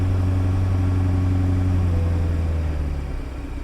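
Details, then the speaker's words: Bentley GT twin-turbo V12 salvage-auction car, hail-damaged, check engine light on and power steering gone: deep, smooth, even idle hum with no ticks, misses or hunting; idles fine. "idles great"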